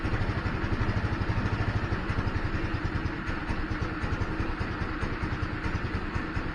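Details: GY6 150 scooter after sitting a week: starts, then chugs unevenly, rpm sagging and dying out; battery and spark plug checked good, owner suspects clogged carburettor main jet as before.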